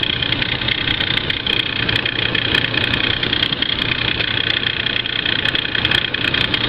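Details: Ford Crown Victoria, engine warm about 5 minutes after startup, at idle: a rough, ticking clatter over a high hiss keeps time with the engine, an abnormal noise with no clear cause.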